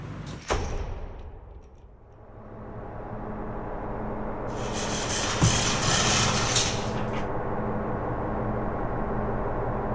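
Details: Freshly built low-buck 454 big-block from a stock short-block with a thumper flat-tappet cam, broken in earlier that day. Brief fire-up with a deep, choppy, loping idle and a rev blip. Normal big-cam idle, runs awesome.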